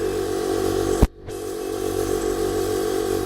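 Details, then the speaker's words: 1998 Blazer air ride, newly wired air compressor: steady droning buzzy hum, briefly cut once then resuming evenly, filling the tank, expected about 2 minutes; running normally. "Shouldn't take it. That should take approximately 2 minutes to fill that tank."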